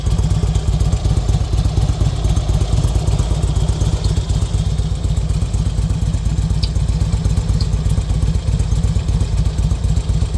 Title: Bruit Moteur RK Classic 2005